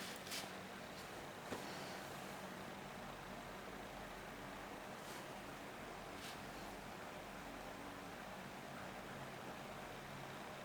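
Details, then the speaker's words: Electrolux washing machine whose motor would not run, tested on spin with motor wire reconnected: steady low drain pump hum running long, unlike the short bursts with long pauses before; the motor now runs too. "Rồi bơm xả nó chạy. Ồ, động cơ chạy được luôn."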